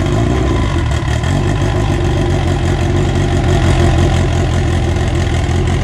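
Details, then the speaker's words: Honda EG AWD build at first start, running on a borrowed 2000cc injector tune with good oil pressure; deep, even, steady engine note with no stumbles or knocks, revs up nicely; runs healthy. "alright guys well there you have it the car officially runs uh it runs pretty good"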